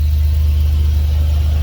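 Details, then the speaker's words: 2003 Dodge Ram 1500 after a fuel pump replacement: low, smooth, steady idle rumble with an even beat and no misses or knocks; truck fired right up, no leaks at the pump. "Truck fired right up."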